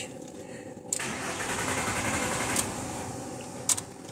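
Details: 1995 VW T4 with ACU engine that stumbles and stalls once warm at operating temperature. The warm engine cranks unevenly with sharp clicks but won't restart; owner suspects the injector rail acting up as the ECU reaches 90 °C, unconfirmed.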